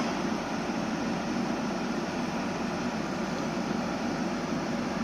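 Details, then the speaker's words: Outdoor compressor of 2009 Samsung 9000 on/off air conditioner just restarted after burnt capacitor replaced, hot Sardinian day: steady even hum, low drone and fan rush, no clicking or stalling; compressing gas, pipe cooling and frosted. "anche dal rumore si sente come il compressore È appena partito è partito sta comprimendo il gas"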